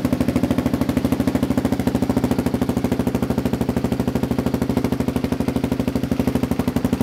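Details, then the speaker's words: Kawasaki KLR650 just fitted with Two Brothers slip-on and mid-pipe: single-cylinder thumping at steady idle, about three beats a second, with uneven pops; backfires only when stationary, not riding; owner thinks it needs a Dynojet kit for fueling. Exhaust popping at idle. "It's backfiring a little bit when it's sitting still, but it doesn't do that at all when you're driving it. So I think it still needs a little bit of a tune."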